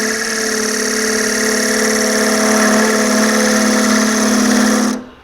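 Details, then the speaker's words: Wood bowl on lathe, finishing pass: loud steady buzzing hum with fast pulsing chatter about four beats a second as the thinning bowl wall flexes and wobbles, leaving fine spiral marks. "hear that vibration that's telling me that I'm starting to get thin and having support out there so the outside and I can feel it I'm touching the outside of the bowl the outside of the bowl is flexing it's wobbling"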